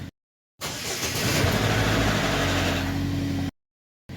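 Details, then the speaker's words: 2014 Chevy Equinox (P0011/P0014, previously stumbling at idle with misfire codes) idling after repair: it fires, flares briefly and settles into an even idle with a steady beat and no misfires. Oil took a while to reach everything. "It's running good. I don't feel any misfires or anything."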